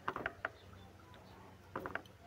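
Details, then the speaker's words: Suzuki Vitara AC compressor, turned slowly by hand: sharp clicks in two short clusters, rough catching inside as if a stone is snagging; owner checks bearing versus piston noise. "parang may sumasabit siya na bato,"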